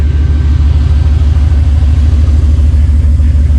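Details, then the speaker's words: Buggy cold started in freezing weather, barely over about 100 miles since fully running: deep, steady rumble with even low pulses about twice a second, no misses or clatter; normal idle after cold start. "Okay. All right. Well, it started, you know, as you can hear."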